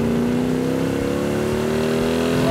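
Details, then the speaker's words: Freshly restored 1967 Hemi GTX convertible with dual quads and a just-rebuilt transmission, on a test drive: deep loud snarling exhaust, pitch climbing smoothly under hard acceleration, no knocks or misses. Normal. "when those dual quads open up you can hear it yeah you can hear it coming down the road that is one snarler of an engine i see why they like the exhaust that does sound really good"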